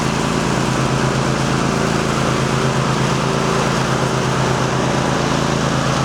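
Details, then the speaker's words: Rebuilt lawn mower on a test run after repair (rusted-through deck welded, repainted, new spindles): steady, even engine drone with smooth blade hum, no knocks or scraping; running normally under load and no longer cutting furrows in the yard. "Well, it looks like the lawnmower is back in business. Our Frankenstein lawnmower is back in service, and it's not cutting grooves in the yard."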